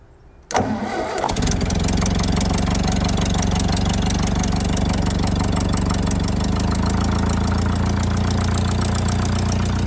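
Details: 1951 Ferguson TEA20 tractor, fuel turned on, oil at the mark, a bit of throttle: fires straight away on the first crank and settles into an even, steady idle with a clean rhythmic beat. Normal start and idle.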